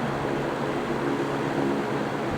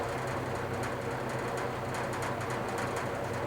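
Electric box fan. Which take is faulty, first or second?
second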